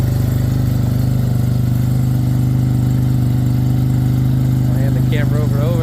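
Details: Suzuki RE5 rotary motorcycle, outdoors after carburetor overhaul and setup: deep, steady rotary hum holding an even idle with no misses, surging or knocks; normal idle with carburetor set up correctly.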